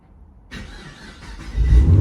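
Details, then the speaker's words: 2010–2014 fifth-generation Camaro after replacing the fouled cylinder 2 spark plug that caused a P0302 misfire: the starter catches and the engine fires cleanly into a steady low rumble, no stumbling; remote start works again. "remote start works again didn't work before so yeah yeah we're good"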